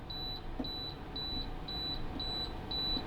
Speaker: So if it's beeping at you like that, it just means you've set the lock, and to set the lock you just need to hold that down a few seconds, and to unset the lock, take the lock off, you need to hold it down a few seconds.